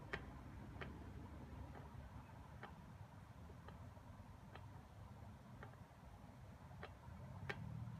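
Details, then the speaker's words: 1983 Ducati MHR, 40mm Dellorto carbs balanced without vacuum gauges using drill-bit slide clearance: sharp light ticks over a low rumble as one slide touches its screw a fraction early when the throttle is opened. That slide sits slightly high; back the screw out. "so to me this one's touching down a fraction earlier you can hear it when it touches the screw yeah when you wind the gas on so it means this one is a little bit higher"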